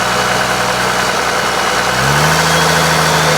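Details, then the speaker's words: 1995 Cummins 12-valve P-pump diesel being built for 600-650hp, fuel plate removed, valves adjusted: slight stumble near idle, then an even, steady beat just above idle with all six cylinders firing. Owner suspects springs or notch-screw adjustment for the bad idle. "it sounds okay but so listen see jiggling but then if I accelerate a little higher it gets out of it now it's firing on all six"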